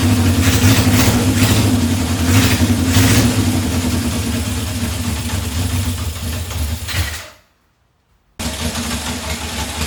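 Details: 1978 Honda CB750 K8 four-cylinder, just after its first start during rebuild, on temporary fuel supply: catches and revs in quick blips, even firing climbing and falling cleanly, then a short gap; healthy running.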